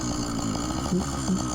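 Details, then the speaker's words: Phantom 85 racing engine with MS460 piston on a motorized bike, warming up under load: loud two-stroke buzzing with faint dull knocks about every third of a second; owner suspects rod knock, or possibly an exhaust leak. "i don't know if it's the exhaust leak though or my imagination but it kind of sounds like we got a rod knock it's kind of hard to tell i'm on one lungers but that sounds knocky to me"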